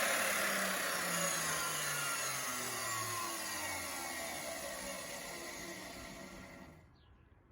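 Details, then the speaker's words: 20-year-old Bosch 4000 10-inch table saw motor wired directly to the switch, speed control board bypassed: high whine falling smoothly as it coasts to a stop, no grinding or rattle; motor fine, control board seems to be the issue. "it would seem that the control board is my issue"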